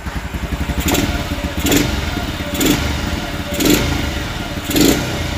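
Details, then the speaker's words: Two-stroke motorcycle after overhaul and carburetor swap (original carb hard to tune, timing dropped, stalled, sluggish): crisp blips about once a second rising cleanly and dropping back to steady idle; throttle response now much sharper than before. "So respon dia lagi mengancam daripada yang tadi tu."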